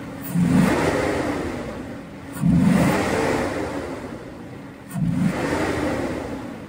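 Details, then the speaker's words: Mercedes W140 V12 M120 with the air filters removed, giving direct intake access, start test: three short revs from idle with a soft airy hiss on the intake note; intake hiss with no filter fitted. "lors du montage de la vidéo je me suis aperçu qu'il y a un bruit différent sans filtre on entend le sifflement fin l'aspiration comme un sifflement écoutez bien"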